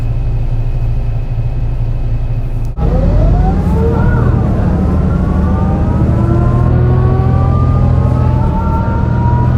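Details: Torrens Transit Adelaide bus #757, MAN NL202 on CNG with ZF Ecomat 5-speed automatic, pulling hard up hilly G21 route to Aberfoyle Hub; rough uneven low drone, gearbox whine rising through shifts: bad engine misfire under load.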